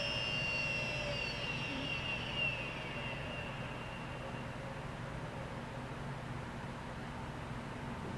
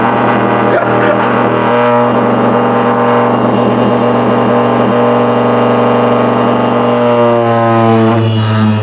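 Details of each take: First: Late-1990s Seagate Barracuda 7200 RPM SCSI server drive, powered off after about 20 minutes of running and hot to the touch: a high whine slides smoothly down over several seconds into a quiet hiss, a normal clean spin-down. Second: Late-1990s Seagate Barracuda 7200 RPM SCSI server hard drive turned sideways: loud steady hum with droning buzz as the drive shakes badly, much louder sideways; drive judged likely not working.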